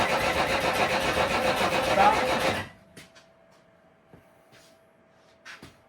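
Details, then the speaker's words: Old vehicle being revived, carburetors primed and a battery installed: the starter cranks at a steady, even rhythm for under three seconds without firing, because the coil power wire was disconnected. "What has changed? I don't think you're getting any fuel in here. This has changed. The power wire goes to the coil."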